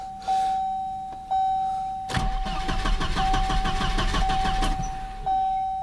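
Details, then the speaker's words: Volvo 740 with a suspected failing main fuel pump: starter cranks evenly for about 2.5 seconds and the engine turns over but never catches; no fuel pressure, pressure bleeds off, possibly a bad pump check valve. Pump to be replaced. "Call the tow truck. Okay, we don't need to keep doing that. It's not going to run. It's bled off all its pressure."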